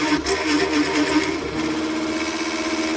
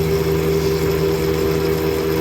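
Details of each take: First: Big Daishowa spindle speed increaser on CNC mill, 1/4-inch ball end mill cutting hardened 1095 steel with a heavy step; loud steady ~300 Hz squeal over harsh buzz, chatter at full speed, improving once slowed to about 2250 RPM. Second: CNC mill with a Big Daishowa spindle speed increaser, cutting hardened 1095 steel with a 1/4 in end mill at about 25-30 in/min. Speed was reduced from full because of chatter. A steady even cutting tone and spindle hum with no chatter. Normal cut, much faster than at 1500 RPM.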